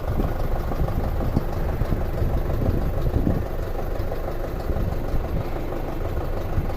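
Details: 2006 Audi A4 2.0T, long sitting, P0300/P0303, idling under open hood: rough idle with uneven metal-on-metal knock and rattle, seemingly toward the back; mechanical cause suspected, compression and intake pulse tests planned.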